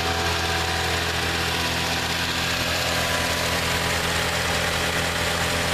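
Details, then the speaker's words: 1987 Plymouth Gran Fury, carbureted, suspected fuel starvation, warming up on fast idle: smooth, steady idle with constant drone, no dips or stumbling, never tries to stall. "you notice it'll run on the tote like that never seems to try to stall"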